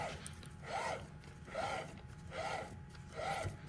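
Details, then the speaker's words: 2005 Mazdaspeed Miata differential with new mfactory 3.30 ring and pinion during Stage 2 rebuild, spun by hand; soft whistle rising and falling about once a second, no grinding; normal gear whine from new gears. "we're going to go ahead and spin this thing again, see how it sounds, and take it from there. Let's see. Yeah, it's kind of funny sound."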